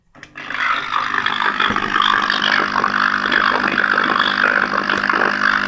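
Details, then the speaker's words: Fire-damaged German radio powered with its original transformer wired through a bridge rectifier to the main capacitor: loud, steady hum with a rough, hissy roar that doesn't clear; power supply fault, main capacitor and transformer suspected. "so I told you before that whenever a sound is bad of the radio so this means there's something wrong with the current to go into the radio so that's why you have to replace the main capacitor"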